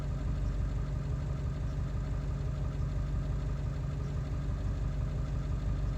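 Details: Ford 7.3 diesel running after ICP sensor replacement, still not running well: deep idle with an uneven, loping beat about three pulses a second; rough running, cause not found.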